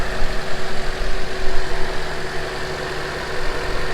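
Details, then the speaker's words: Honda CRX (ED8) after throttle body swap and temporary coolant hose fix, warming up: low, fairly even idle with steady rumble, no knocks, misses or hissing leaks; normal idle. "Alright guys, so it's running pretty good. That works for now."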